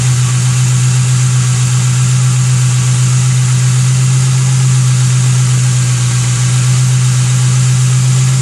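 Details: Ford Thunderbird 4.6 V8 that sat outside for 5 years: smooth, even idle with steady deep hum, no knocks or misses, runs like new.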